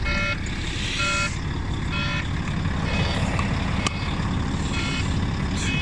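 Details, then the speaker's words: Volvo VNL D12 diesel at idle: high whistling squeal chirping in and out about once a second, suspected accessory belt; lower tensioner and idler bearings already greased without change, anti-squeal spray being tried to confirm before belt replacement. "Если это ремень, я сейчас побрызгаю, он перестанет свистеть. Тогда будем менять, ну, заменить ремень надо будет."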